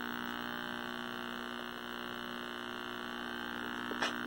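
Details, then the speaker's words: 1960s Philco S-1262BK 12-inch black-and-white vacuum tube TV after tube replacement: steady harsh vertical buzz in audio, amplitude tracks vertical size, so vertical is bleeding into sound; source not found. "we still got that obnoxious vertical buzz the amplitude of that sound is in direct proportion with the vertical size so something's bleeding over"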